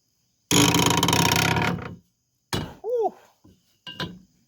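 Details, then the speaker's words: 1983 Honda ATC 200E three-wheeler unrun for unknown years, seized crank freed with cheater bar and turned slowly by hand: harsh scraping rasp, squeaky rising-and-falling creak and dull thunks; stiff, creaky but moving. "It's a creaky old one, but it's moving. That's just lovely sounding."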